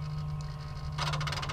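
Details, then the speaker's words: Bobcat 873G with a 32-40 lift handle error: a steady low hum, then a brief buzzing electric whir as the actuator cycles when the handle is moved. The lift actuator was replaced earlier, and the cause was a bad connector socket; the actuator sounds normal. "and you can hear that the actuator running over there there's the Tilt"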